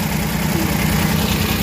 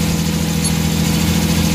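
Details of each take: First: Suzuki mini van DA63/DA64 K6A engine, previously vibrating at idle with AC on, after fix: steady even low idle hum with air conditioning on, no shaking or stumble: normal idle with AC on. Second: Suzuki mini van DA64/DA63 K6A engine idling with AC on: low uneven idle that sags and shudders, close to stalling; throttle position sensor showing no steady voltage, idle-up/throttle fault suspected.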